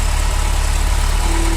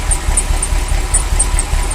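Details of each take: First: Ferrari V8 idling after misfire fix with new sensors: steady, even low rumble, back to normal after sensors for cylinders 5-8 and 1-4, which made it misfire when unplugged, were reconnected. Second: Ferrari V8 after new sensors fixed a misfire, fan belt loose: idle stumbles and chops when the wires/sensors for cylinders 5–8 are pulled, then returns to smooth steady rumble.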